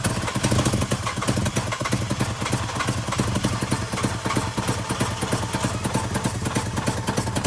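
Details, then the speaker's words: 2005 Jeep Grand Cherokee 3.7L, first start after a no-start, with the exhaust disconnected: loud, raw, rapid crackling exhaust pulses at fast idle. Engine runs but smokes a lot; the owner found a coolant leak between head and block. "it's going to be a little bit loud because the exhaust aren't hooked up if it starts but it'll tell me it starts"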